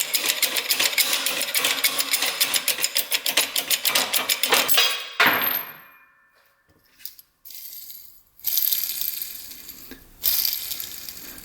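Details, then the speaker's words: 1994 Honda CR80 two-stroke, crank bearing pressed out of the cases during rebuild and spun by hand: rapid gritty clicking slowing as it coasts down, lots of slop; worn crankshaft bearing, being replaced. "all right yeah that's toast listen to that b ing there's a lot of SLO in there good thing uh we're replacing those"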